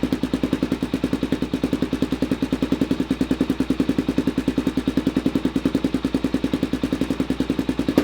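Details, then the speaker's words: Suzuki DRZ400SM with shortened Yoshimura exhaust, first start after cutting: crisp, loud single-cylinder thump at about 200 beats a minute, steady at idle; much louder than expected with the shortened muffler. "That's actually way louder than I thought it would be."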